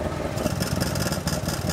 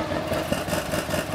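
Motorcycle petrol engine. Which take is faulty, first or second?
second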